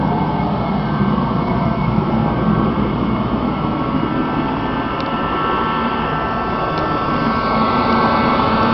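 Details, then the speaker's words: Rebuilt Mr. Heater Contractor Series torpedo heater at full fire, pressure gauge reading perfect: steady, even roar of burner and fan with no sputter, surging or popping; heater sounds really good and runs clean. "sounds really good and our pressure is perfect"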